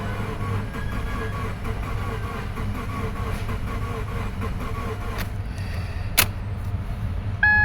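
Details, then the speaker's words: 2013 Subaru Forester SJ, naturally aspirated FB16, no start after parking, cranked on a jump pack: fast, uneven, lumpy cranking with no catch; flooded cylinders or lost compression suspected. "oh dear uh sounds to me that we have lost compression either that or we have flooded in uh one or two cylinders"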